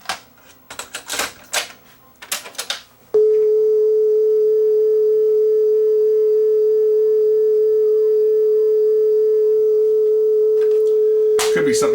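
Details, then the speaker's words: Yamaha K520 cassette deck test tone wavers in pitch about once per capstan rotation, which is bad wow and flutter. The belt is riding back and forth on the pulley and is likely a too-thin eBay replacement; the flywheel is also suspected. "that wow and flutter is is pretty bad it's almost like every time the capture makes a rotation there's a speed variation"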